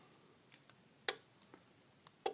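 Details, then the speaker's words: Garage door opener in service since 2006; sharp irregular clicks a few per second, no motor, relay chattering when using the remotes while wall button, keypad and car HomeLink work; LED bulbs suspected, new remotes partly fixed it. "you can hear the relay inside clicking"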